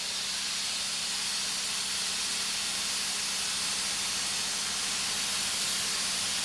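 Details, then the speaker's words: M13A Portaclave 'Big Bertha' field autoclave switched to fast exhaust: a loud, steady hiss as a jet of steam vents from the top while chamber pressure drops toward zero; normal venting. "so we turn this unit all the way around too fast exhaust and then you can see the jet of steam coming out the top"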